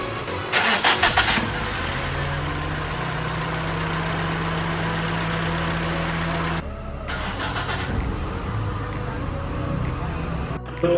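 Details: Petrol car that misfired after rain, with no scanner codes; water was found in a Chinese ignition coil, coil dried and plugs removed. After the repair it cranks briefly and settles into a steady, even idle with the misfire gone.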